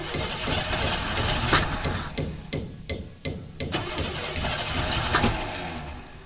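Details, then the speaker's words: 1990 Camaro RS V8 first start after 12–13 years sitting, new fuel pump: rough, lumpy running with irregular stumbles and uneven firing; misfire from crossed spark plug wires, firing order wrong, later corrected. "I did a little bit of checking and I messed up I had three and three and five on the one I'd match beside the motor switch the firing order"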